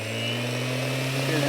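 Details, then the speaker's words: Old random orbital sander, not the new Hueborly 5.0 knockoff, running at top speed, steady motor hum with low drone and faint high whine; louder than new one and slow to wind down; normal. "and it's louder and it still takes forever to wind down but I still don't think that's as long as router"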